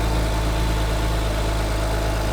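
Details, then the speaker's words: BMW 135i jump-started on third try after restoration work: steady, even low idle with smooth hum and no squeal, chirp or ticking from the newly installed Gates belt; normal idle. "oh hell yeah she sounds good"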